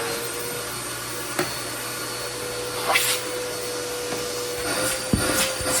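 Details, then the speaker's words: Dirt Devil CV1500 CAV-VAC central vacuum newly installed in a van, running after lifting the inlet lid: steady airy motor whine holding even with a few handling knocks; very powerful, normal running. "good to go. This thing is very powerful. Very powerful."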